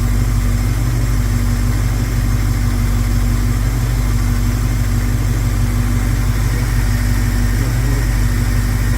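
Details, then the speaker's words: 1971 Plymouth Scamp after plugging vacuum leaks, timing unchanged: an even, low idle beat with no skips or stumbles over a steady rumble. Normal idle with no misfire. "I'm amazing how well it runs with the no vacuum Le doesn't sound like she's missing sounds like a gold"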